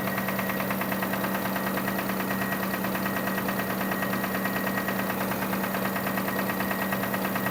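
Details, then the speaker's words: 2005 Kia Sorento engine idling with a steady hum and a regular light knock, about three beats a second; source of the noise not yet diagnosed. "So yeah, we have this Kia Sorento '05 has that engine noise in there. I'm gonna try and diagnose this and see where the noise is coming from."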